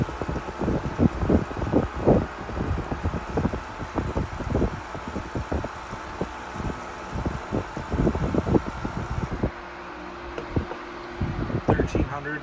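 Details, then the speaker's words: 1973 Frigid (Mitsubishi) 16-inch GT16-S oscillating fan, high speed: steady rushing airflow with gusty buffeting, no rattle or ticking; normal running. "Go to the high speed. No rattle on the high speed."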